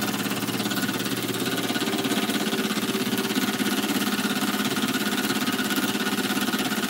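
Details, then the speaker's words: Small model steam engine, brass frame bolted to boiler, freshly reamed: quick steady chuffing with light even knock each turn; intended bearing clearance, crankshaft would seize from expansion without it; normal. "what happens is that it expands and the crankshaft seizes up if we haven't got that knock in there so that's the way it needs to be"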